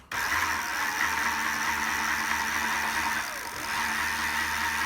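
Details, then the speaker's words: 1990s Sinclair Zike electric bike, original control board replaced by relay system, two motorbike batteries in series for 24 V: switch click then smooth, even hum with faint whine; motor running normally. "So you find that when you run this motor, I don't know if it's the same for all Zikes, but the first sort of 30 seconds to a minute it's slower, and then gradually after about a minute it gathers up a lot of speed."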